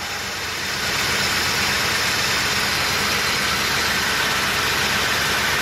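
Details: 1986 Chevy K30 with Turbo 400 and stock exhaust, cold start: catches and settles into a fast even idle with a steady exhaust roar, no misses; healthy V8 warming up.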